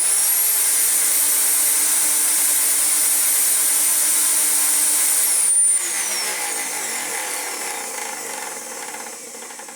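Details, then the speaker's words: Dyson DC14 upright vacuum with non-genuine non-clutched brush roll replaced by used one; old motor sparking: steady high shrill whine running rough, then power cut and wind-down; still noisy but better. "Oh, still not happy, but it's better."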